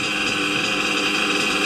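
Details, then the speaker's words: RC nitro engine on a warmer day after idle tuning for single-stage idle: even high-pitched buzzing idle holding steady with no revving, hunting or surging, a nice stable purr. "no revving up a nice stable purr"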